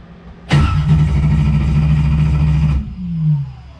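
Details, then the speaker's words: 1995 Camaro with a naturally aspirated LS 6.0 V8 after a race: the starter churns steadily for about two seconds with no firing and no RPM signal. Cam sensor suspected; the MSD box read 1.6 V. "this is not a good sign so no RPM signal yep okay"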